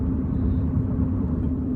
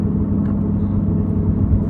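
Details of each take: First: Chevy Cruze after replacing a badly roaring front wheel bearing, test drive at about 53 mph: a steady low road rumble with no growl or speed-linked hum. The front sounds quiet and healthy, with possibly slight rear wheel bearing noise. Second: Chevy Cruze on test drive: deep, loud steady roar growing louder, more pronounced turning right and fading turning left; failed driver's side front wheel bearing.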